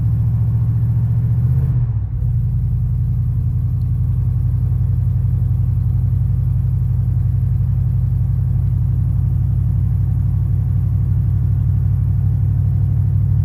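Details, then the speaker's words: 1991 Chevy Silverado 350 with a battery parasitic draw, just started and cold, throttle held by hand: steady low rumble with a faint dip, unable to hold idle on its own; battery voltage swinging, exhaust manifold leak ticks present. "I'm still holding the gas cuz it's not going to idle yet. [Music] I don't think it's going to hold an idle."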